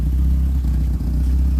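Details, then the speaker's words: 1991 Peugeot 505 wagon at idle; deep booming low rumble with a hollow droning echo from the rear, loud because the exhaust needs a muffler. "really smooth this thing needs a muffler it's a little loud in the back you can hear echoing back here"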